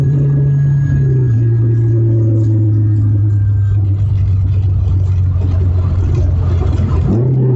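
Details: Nissan Sentra QR25 accelerating after intake and vacuum leak repairs, new upstream O2 sensor (bank 1 sensor 1) and new throttle body: steady drone dipping, holding and climbing evenly with revs, no stumble or hesitation; healthy.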